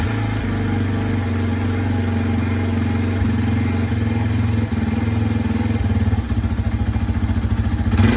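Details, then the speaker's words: 2003 Yamaha TT-R 225 with no spark, after replacing stator, ignition coil, plug cap, boot and spark plug: fires right up, a little cold-blooded, settling into a steady, even single-cylinder thump with no misses; normal start and running. "so she runs all right guys so we finally got the bike all back together and as you can hear the thing fired right up it's a little cold bloody which is to be expected from these ttrs"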